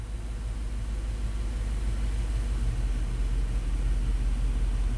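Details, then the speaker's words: 2002 Dodge Dakota V8, 104,000 miles, harsh intermittent shifts and P0300 code: smooth, steady low rumble at about 600 rpm idle with no stumbles or hunting, after minimum TPS relearn. "600 rpm it's a v8 you know hey can I let low real smooth I like it"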